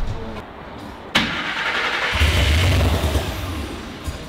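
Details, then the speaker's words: Griz the wrecker, started after wiring and computer work: settles into a steady, even low rumble with no knocks or misses; runs well. "hey it's started and it sounds good I like the way it sounds that's for sure"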